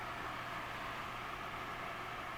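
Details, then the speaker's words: Country Hearth 2500 wood stove rear blower fan at maximum speed after cleaning and light oiling: a steady, even whoosh of air with a smooth constant hum, no squeak, rattle or dust; the blower runs cleanly. "There you go, you can see it is blowing a fair amount of air out there, which is what you want. And there's no squeaking, it's very smooth, there's no dirt or dust coming out now, so it should work for me."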